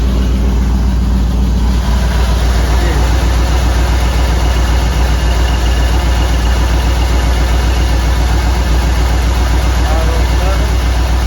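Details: 1959 Ford wagon V8: a loud, lumpy idle stumbling roughly three or four times a second. Misfire on number eight, suspected bad plug or plug wire.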